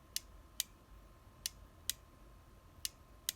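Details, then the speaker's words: Kia Sorento Mk1 ETACS comfort controller, auto-relock bypass test: green unlock output wire (B15) touched to negative lights LED; six sharp dry irregular clicks in 3.5 seconds as relay pulls in. "We touch it off the negative. So you can see the LED is lighting up there. You can hear the relay."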